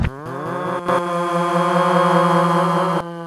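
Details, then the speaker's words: 1995 Nissan Laurel Medalist V Turbo, automatic, resonators removed and apparently no cat, heard in the cabin at highway speed. A steady deep boom holds one pitch at a certain speed and rpm, drowning out front-seat conversation. Exhaust drone. "sound, and it hits this perfect frequency, and while it's not loud, it just sort of drowns out everything else in the car."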